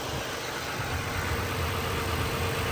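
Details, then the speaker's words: Wrecked 3rd-gen Toyota Tacoma, first start after adding coolant: steady even idle with smooth low rumble, no knocks or ticks, no leaks; sounds super healthy. "that sounds super healthy nothing's touching over there"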